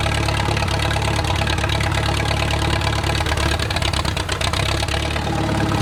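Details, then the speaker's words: Wartime H engine, first start after 20-plus years sitting, just fired up and breaking itself back in: steady, even low chugging idle with no knocks or misses; running smoothly. "it's fired up again and let it kind of break itself back in"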